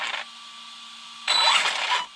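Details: RC car with a brand-new warranty-replacement ESC, just calibrated: short whirring burst under a second with a climbing high whine as the motor spins up cleanly; healthy.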